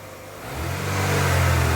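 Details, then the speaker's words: 2005 Chevy Aveo 1.6L E-Tech II after timing belt and water pump replacement, first start: engine catches and revs up smoothly with a clean rising hum, no rattle or ticking; normal, well timed. "oh perfect no more rattling no more noise she seems to be timed just [Music] perfectly oh just as smooth as silk that's great"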